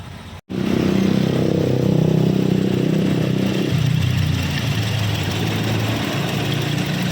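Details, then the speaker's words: Toyota Kijang LGX EFI that would not start, now running after repairing a fuel pump wire that a previous person had jumpered. Settles into a steady idle with an even low drone and no stumbling or clatter. Normal idle restored. "Nah sekarang setelah saya perbaiki mesin sudah hidup Ya sudah normal kembali"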